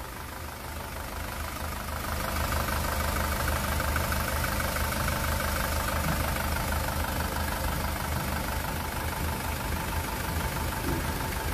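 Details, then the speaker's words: 2018 SsangYong Rexton Sports 2.2 diesel, 119,174 km, after engine rebuild (broken crankshaft cap bolt had holed block, melted No.1 piston; crank, pistons, bearings replaced): steady soft low rumble, no knocks, misses or vibration, former tank-rolling noise gone; normal idle. "아 우리가 너무 좋은데요 아 이제 탱크 굴러가는 소리가 안나요 소리가 너무 잔잔 합니다"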